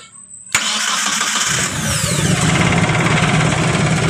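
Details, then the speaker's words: Carbureted T120SS starter motor that was grinding roughly, now cleaned and greased with no parts replaced: it spins up smoothly and evenly with a clean whir and no grinding, and the engine catches; the starter is healthy again. "Oke, untuk starternya sudah terpasang dan untuk hasilnya kurang lebih seperti itu ya. Setelah kita kasih grease atau kita cuci untuk starternya."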